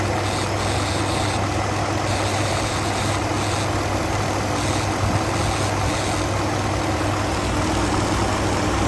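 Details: Used 2019 Ford F-150 XLT 5.0 V8, 43,000 miles at purchase, with rough idle and intermittent stalling: uneven idle with a faint steady buzz over the rumble; source unclear, needs further checking.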